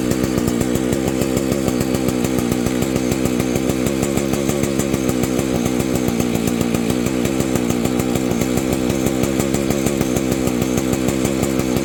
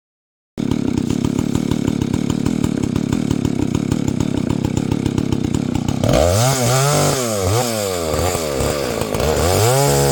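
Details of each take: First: Husqvarna 285 two-stroke chainsaw after a crankshaft seal replacement, original ignition: starts easily, revs and idles with a steady fast two-stroke pulse, then stalls, repeating after a few minutes' wait; owner suspects an ignition problem. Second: Husqvarna 285 (85cc) two-stroke chainsaw after a seal replacement and a shortened bar, cutting wood: pulls steadily with an even, rapid firing beat, no bogging or stalling; healthy running saw.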